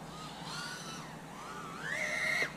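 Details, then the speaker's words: Avant Vanta Nano 2.0 toothpick quad on Betaflight 4.1, slider-tuned with PD gain 2.0 and PD balance 0.7: high motor whine wobbling in pitch with a fluttery edge, oscillation because the PD gain was pushed too far. "all right so this is gonna be PD gained at two you balance at 0.7 oh now you can hear the oscillation right"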